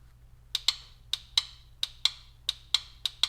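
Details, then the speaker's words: Single-wire shift solenoid from 2005 Toyota Matrix AWD U340/U341 automatic transmission, bench-tested with 12 V from the battery: crisp, clean paired clicks about every half second, plunger snapping freely; solenoid working normally. "connected to the 12vt on the battery listen you can also o see it moving up there that means that it's working"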